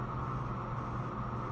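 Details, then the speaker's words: Schumacher heavy-duty battery charger, after fixing its rate selector button, in engine-start mode with the clamps separated: steady low hum with a faint high hiss pulsing about twice a second, maybe 50 amp pulses; running normally. "Sounds like it's given actually like maybe 50 amp pulses. That's pretty cool."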